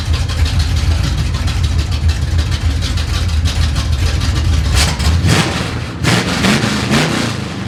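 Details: 1970 Chevy C10 parked 10 years, after mixture screw and idle adjustment: steady, even low rumble at idle, then a short throttle blip that settles cleanly; normal idle.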